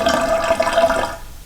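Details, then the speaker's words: Pop-up drain with the stopper pushed fully closed and water running: steady gurgling trickle with faint whistling as water drains past the stopper, which isn't sealing; stops when the stopper is touched. "okay you hear that's the water draining out right down here"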